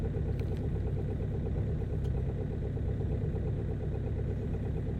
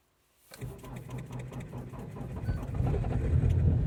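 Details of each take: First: Ford Focus 2.0 TDCi idling after a hard cold start following a night at about -18 to -24 °C: steady, even diesel clatter with low rumble, running smoothly. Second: Ford Focus 2.0 TDCi diesel cold start after a night at -18 to -24 °C: slow labored cranking about three beats a second, gradually picking up and rumbling louder; hard cold start.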